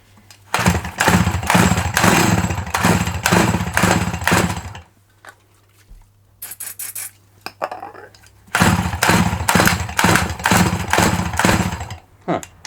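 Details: Dolmar 100 chainsaw, an eBay find, being pull-started: repeated pull-cord cranking in bursts of about two pulls a second, never firing or catching; owner suspects not enough spin and no petrol getting through.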